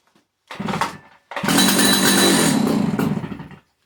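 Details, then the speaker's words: 50-year-old Stihl 056 AV chainsaw, unused for a while, runs about two seconds on brake cleaner sprayed into the air filter, revving raggedly then dying; tank fuel not reaching the carburetor. "working right and you heard that so it started off on that brake cleaner I just just gave there but obviously fuel is not getting from the tank into the carb"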